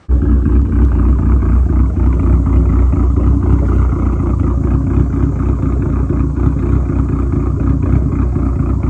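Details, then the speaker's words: Dodge SRT4 with big cams, big turbo and much larger injectors, after tune adjustment raising idle rpm by about 100 for smoothness: deep, even idle rumble with steady pulse, no stumbles or misses; normal idle. "I do believe he told me he raised the RPM up by 100, and I think he did a couple other things just for the smoothness of the idle. So you'll hear that here."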